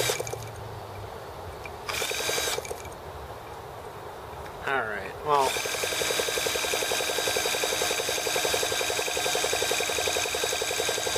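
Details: T26 model engine at 3°F (-13°C), after a valve job and rocker-arm and carb tuning: the drill spins it with a steady buzzing whir and quick even compression pulses, but it never catches. The carb ices in the cold.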